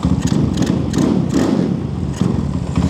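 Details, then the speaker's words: Zongshen Z190 engine in a Honda C50 motorcycle, stationary revving: loud, crisp single-cylinder bark through the exhaust, picking up on each blip and settling back cleanly; healthy, just noisy. "Well, it's not quiet at all. It's really not quiet. I can live with that."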